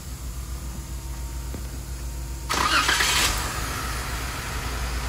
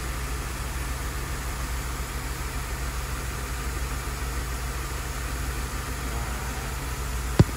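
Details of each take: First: Car with an active fuel leak and strong gas smell: engine catches and settles into a slightly uneven idle with occasional stumbles. Lost fuel pressure is the suspected cause; injector pulse sounds good. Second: Engine heard through stethoscope at one fuel injector at idle: steady, even pulse with no skips; injector normal, while a fuel leak and lost fuel pressure are suspected of causing the skip.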